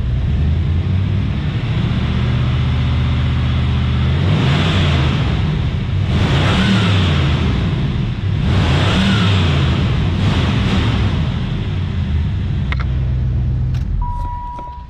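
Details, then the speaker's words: 1994 Cadillac Fleetwood 5.7L LT1 V8 at a wrecking yard, deep even idle with quick throttle blips rising and dropping smoothly, no knocks or misses; healthy-sounding engine. "good sounding lt1"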